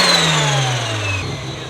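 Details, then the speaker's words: Mazda RX-7 FC turbo rotary with new full exhaust, revved out after the cooling fans kicked on. Revs fall off with a turbo whistle sliding down in pitch over a quiet exhaust, only the turbo heard up front: normal rev with turbo whistle. "you could hear all you hear is the turbo up here it's quiet up here it means it'll probably be pretty quiet in the car which is good news"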